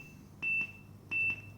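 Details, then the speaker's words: Bumpboxx Ultra speaker during firmware update from USB: high double beeps every 0.7 seconds that never stop, still beeping after an hour; update failed. "But it doesn't stop beeping. I let this thing sit and I left for an hour and I came back and it's still beeping. So update no bueno."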